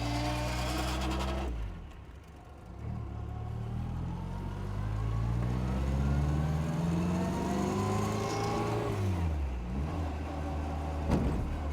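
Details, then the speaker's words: 1960 Bugeye Sprite (1275, front disc brakes) on a road drive: tone rises and falls with road speed, with a faint gear whine over engine and road noise. The transmission needs attention most, and the throttle is touchy. "Yeah, the throttle's a little touchy, and this transmission is clearly the issue that needs attention most."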